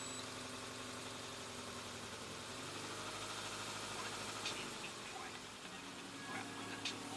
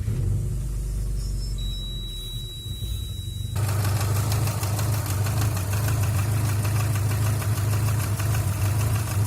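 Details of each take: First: Subaru engine after complete timing belt kit replacement to cure a knock possibly caused by a faulty tensioner: quiet, even idle with a steady low hum and no ticking or knocking; smooth and healthy. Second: Subaru engine at idle: steady idle with light, fairly even tapping from the front of the engine; a poor-quality timing belt tensioner suspected, whole timing belt assembly to be replaced.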